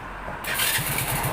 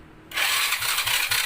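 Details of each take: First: Honda Dream 100 motorcycle, freshly rebuilt: electric start now catches and runs, needing a little throttle; the original electric-start failure came from a worn starter motor drawing heavy current and cranking too slowly for spark. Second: Honda Dream 100 motorcycle, freshly rebuilt engine: slow, labored electric-start cranking, about eighty strokes a minute, no firing; test spark plug shows no spark on electric start though kick start gives spark and starts easily.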